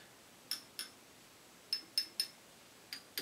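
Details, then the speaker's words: Willsenton R8 push-pull class AB tube amp, power tube tapped: light taps each giving a short bright ping that dies quickly; mild tube microphonic ring, normal and acceptable. "so it's got a little bit of a ring let's turn that down let's let's turn this off that's perfectly normal and it's perfectly acceptable"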